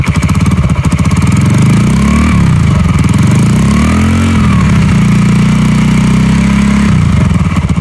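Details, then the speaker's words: Yamaha Jupiter 5TP converted from automatic to manual with a TDR clutch block and a 1 kg balancer. Blipped twice, revs climb and drop cleanly back to a steady idle with no misfire or drag; sounds normal. "teman-teman Ini untuk suara mesin pas lagi idle dan ini coba saya gas"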